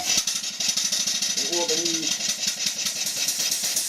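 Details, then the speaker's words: Marine steam engine, bought half built, running on compressed air while cool with both cylinder drain valves open; rapid even chuffing with loud steady hiss of air venting underneath, running smoothly; normal running. "There's two little valves on here. These are cylinder drain valves. When the engine is cool and you start it up, the steam condenses the water and they let the water out."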